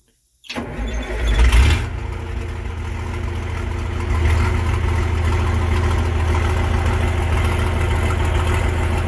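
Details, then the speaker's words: Versatile 800 tractor, idling in neutral with the old, likely original roughly 50-year-old muffler removed and only the exhaust tubing left; quick crank catches into a loud, deep, throaty, raw blatty idle from the open pipe. "you can imagine, without a muffler on, this thing's probably going to be pretty loud. I mean, that's all that's there for exhaust tubing. So, let's see what this thing sounds like without the muffler on."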